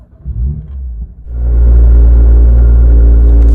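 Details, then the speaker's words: BMW M2, about 10,000 miles, M Performance exhaust on a cold start: engine catches and settles into a loud, deep idle with a heavy droning buzz as the exhaust vibrates for 10 to 15 seconds; cause unknown. "for some reason the m performance exhaust heavily vibrates for about 10 to 15 seconds during a cold start and it produces its vibrating noise as you can hear you can even see it and hear it on the outside"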